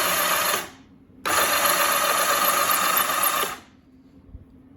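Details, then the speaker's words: Rebuilt 1984 Honda CBX750 engine dry-cranked with plugs out but in caps, no fuel, oil in crankcase to prime oiling; fast even starter whir with spark, turns over freely, cranking normal. "over yep so we got it's cranking we have spark right so the the dry cranking I say dry I mean no fuel plugs out seem to go okay"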